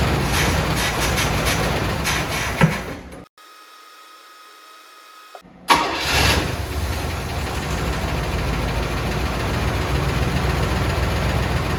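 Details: 1979 Cadillac Brougham d'Elegance, 425 cu in four-barrel V8, stored about 10 years in a pole barn, new battery: engine dies, brief pause, then cranks, catches right away and settles into a steady, even idle; starts and runs fine.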